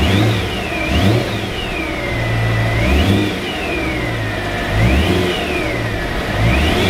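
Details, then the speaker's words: BMW E92 M3: a high whine rising and falling with each throttle blip over the engine, heard all the time and sounding like a supercharger; source unknown. "all I want to know is what is that noise I don't understand I don't get it"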